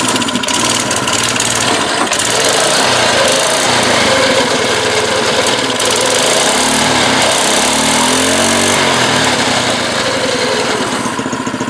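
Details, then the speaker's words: Baja Doodle Bug mini bike, 2.8 hp single-cylinder, after fitting a new carburetor and fuel line, started with gas and a shot of starting fluid; loud, steady buzzy running with no knocks or misses: runs normally. "well it runs"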